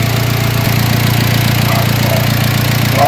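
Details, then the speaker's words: Car engine running, not yet shut off, after the owner's fix for previous overheating: even idle under a strong, steady rush of cooling-fan air, loud but healthy with no rattles or surging. "So ito, tingnan po ninyo, maandar yung makina natin, ha. Hindi pa pinapatayan."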